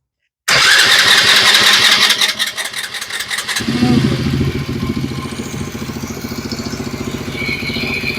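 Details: Kids' Chinese ATV after an alignment fix: several seconds of fast cranking, then it catches and settles into an even, steady idle. Normal start and idle.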